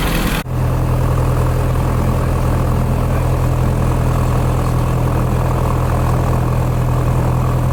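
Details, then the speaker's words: Cessna 177 Cardinal, carburetted engine without chokes, mixture rich, brakes held, after fuel pump pressurised: brief crank, then a steady, even low drone at idle with no misses; normal start and idle. "And with my feet firmly pressed on the brakes, I'm about to start the engine. Mixture rich and clear prop."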